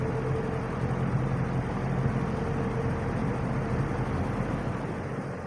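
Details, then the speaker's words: Wizard box fan on low speed, windings and capacitor look good: smooth even low whir with soft steady hum, no rattle or winding buzz, low speed a bit slower, good spin-down; fan motor running normally. "low speed does tend to be a a bit slower spin down is good"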